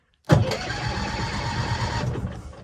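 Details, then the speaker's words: 1966 M274A2 military mule engine, first start attempt with a battery and a little starting fluid: sudden rumbling burst of firing under two seconds then fades; turned over healthy, ignition spark confirmed, fuel system next. "let's do that one more time I just want to hear it fire up again that was kind of cool"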